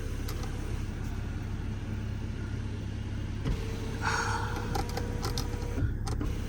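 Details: 2013 Porsche Cayenne Diesel 958.1 at idle: brief electric whir from the roof over a low idle rumble that stops short; the sunroof won't close and has to be forced.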